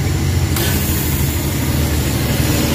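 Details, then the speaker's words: Suzuki K6A engine that vibrated at idle with AC on, after vacuum leak check and IACV idle-up fix: low steady idle holding with AC compressor engaged, no shake or hunting; idle-up working properly. "ayan nakita niyo wala ng vibrate medyo tining na yung andar Okay na siya"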